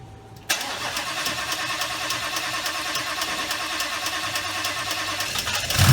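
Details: 2019 Mustang GT, Whipple stage two supercharged with 3.875 pulley, first start on new engine replacing one with broken piston and melted catalytic converters, sat a while: about five seconds even cranking, catches cleanly, loud strong rev, no knocks or misses; normal start.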